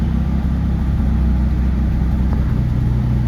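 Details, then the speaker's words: 1972 BMW 3.0 CS cold start in neutral: deep, steady, even idle held a little high while warming up, temp gauge still cold, no misses or knocks; normal cold fast idle, starts and runs great. "Starts and runs great. It's going to idle a little high while it's warming up, I think, but see the temp gauge is cold."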